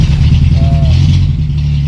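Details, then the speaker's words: Honda Civic Wonder that would not crank but ran when push-started, jumped from a separate NS60 45 Ah battery instead of its own: starter spins the engine briskly with a strong, even drone and no dragging or clicking; the original battery was at fault, not the starter. "Dan ternyata setelah kita ganti aki, dinamo starternya kuat."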